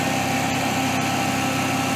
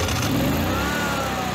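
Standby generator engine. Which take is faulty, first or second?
first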